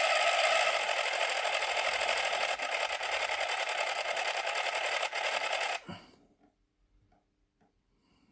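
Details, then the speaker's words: FLY Renault 5 Turbo slot car before repair, on a bench power supply at low power: high raspy motor buzz with a rough tick about three per second, then it sticks and stalls; binding suspected in the axle or crown gear. "so guys have a listen to this as an example of a car that's binding somewhere either in the axle or the crown gear or something okay got to give it a little bit low power"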